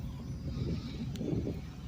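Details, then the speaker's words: 1998 Chevy Blazer LS 2-door 4x4 with the 4.3 V6 Vortec: soft, even low-pitched pulsing at idle with a quiet exhaust; normal, healthy idle. "4.3 basically a 350 with two Pistons chopped off sounds pretty decent not as good as a V8"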